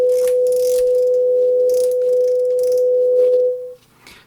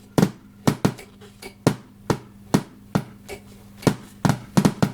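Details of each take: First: JVC VN-300 amplifier after repair, started through a bulb limiter, passing a clean steady test tone from a phone generator on AUX 1 with no crackle, hiss or hum; clean output. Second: JVC VN-300 amplifier connected to service speakers with no input signal: loud irregular pops and crackles over a faint low hum. Later the volume potentiometer was replaced and a missing ground on one of its channels was found.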